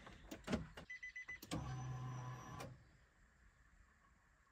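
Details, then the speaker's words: Nissan 370Z, brand-new fuel pump priming at key-on: soft clicks, then a steady low electric hum for about a second that stops cleanly. Fuel heard entering the surge tank after about four primes; normal priming. "and now I just heard liquid go into the surge tank so yeah yep so probably about four primes and we're good"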